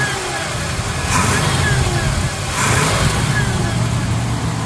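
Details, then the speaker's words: 1978 Jeep Cherokee revved by hand under hood: faint whine rising and falling with revs over engine roar as fan clutch kicks in; power steering pump whines despite having fluid, cause unknown. "That fan clutch kicked in, a little bit of whining from that power steering pump. It's got fluid in it, but it's just one of those that's whine right out of the box, so not exactly sure what's going on there."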